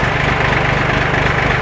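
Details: John Deere 820 three-cylinder diesel tractor, in neutral, being started after sitting: steady, even low diesel clatter at idle with a regular beat, no misses or knocks; normal, healthy idle.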